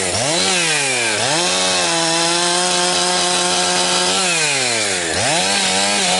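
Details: Husqvarna 362XP Special chainsaw with Walbro carb, cutting firewood. It screams up through the revs, then breaks into a rough burbling gargle at the top. It four-strokes at the limit because of the wrong ignition coil, and this is most noticeable when limbing, less so near 9,000 rpm in big wood.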